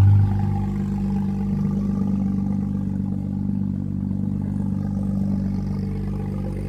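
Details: 2010 BMW 535i M Sport, 174k miles on chassis, replacement engine under 80k miles after previous engine spun #2 bearing, first start after sitting for years: smooth, even low hum with steady tone, no ticking, knocking or misses; idles cleanly.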